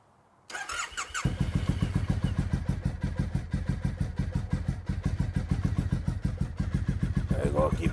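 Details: Triumph T100 motorcycle first start after sitting in garage most of the year: steady starter chugging about three and a half beats a second for seconds before engine finally catches and fires; long cranking before start.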